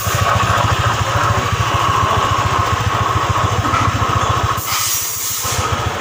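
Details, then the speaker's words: Honda scooter CVT, 2018, about 24,000 km: low rough growl with fast uneven grinding pulse, harsh when pushed, easing briefly near the end; worn 6902 CVT bearing, replaced to make it smooth again. "ini CVT nya ini suaranya itu kasar sekali seperti ngorok ngorok kalau didorong suaranya kasar sekali"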